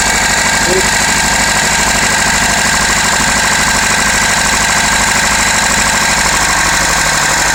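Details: Renault Laguna 2.0 dCi 150 hp diesel idling: hard, steady metallic clatter over the running note, about two knocks a second; source not pinned down, cause unconfirmed.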